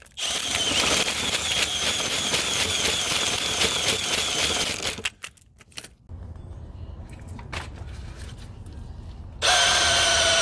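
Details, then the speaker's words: Sewer main backed up again three weeks after snaking, full of scale with massive root intrusion in multiple areas: high-speed whirring with rattling chain slap that dips as it bites and recovers while descaling chains cut the roots. "so we got a massive root intrusion in multiple areas so I'm going to uh get the descaling chains and chain all that out"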